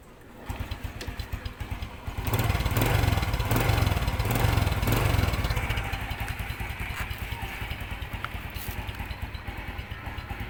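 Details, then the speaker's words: Suzuki Bonus Sport SR small motorcycle: brief rev, then a steady, even idle with no knocking from the magneto area. "Okay mga boss ig na yung andar niya wala na yung kumakatok dito sa may Magneto na siya ngayon karas na lang natin okay na"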